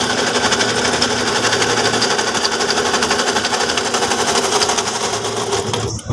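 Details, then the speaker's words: Toyota Fortuner idling with a loud, fast mechanical clatter at the front of the engine bay, about four pulses a second, before the belt is removed; traced by spinning pulleys to a worn alternator bearing. "เสียงดังชัดเจนน่ากลัวเลยนะครับเดี๋ปลดสายพานออกก่อนนะครับ"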